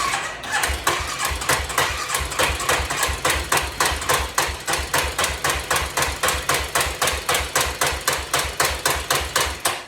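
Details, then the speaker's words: 1986 Yamaha Big Bear ATV, first start in a while after refilling fluids and oil, idling: sharp regular pops about four per second with uneven spacing; runs again but carburetor definitely needs adjustment; rough running. "yeah back up and running bro yeah [Music] carburetor definitely need adjustment"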